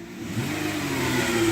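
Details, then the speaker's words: 2016 Dodge Grand Caravan: engine revs with a steady whine rising in pitch with rpm, like an old Ford power steering pump or supercharger, from the front of the transmission; delayed mushy gear engagement, cause not pinned down, pan to be inspected. "it sounds like an old Ford power steering pump but it's coming from the front of the transmission"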